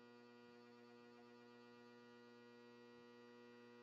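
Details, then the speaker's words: Two-speed PSC single-phase 120 V HVAC blower motor, powered with correct voltage and drawing amperage: steady electrical hum, no spin-up; stalled motor heating toward thermal overload cutout, likely capacitor or start winding. "so right now power is being applied it's drawing amperage it's getting the correct voltage but it's still not turning on"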